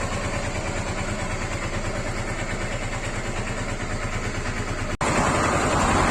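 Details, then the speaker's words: Honda Africa Twin RD07 at idle after retightening a part and restarting: a regular tapping about three beats a second rides over the exhaust; the engine noise persists, source unknown. "Et je vais redémarrer voir si ça... Il y a toujours le bruit."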